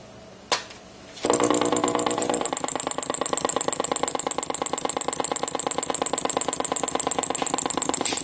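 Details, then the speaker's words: NuTone IM5006 radio intercom master station, about 16–17 years in a house, powered with antenna: sharp pop at switch-on, then steady rapid buzzy pulsing of several beats a second from the speaker; display lit, faulty. "you can hear that it's got this rapid pulsating noise coming out of the speaker the display has lit up"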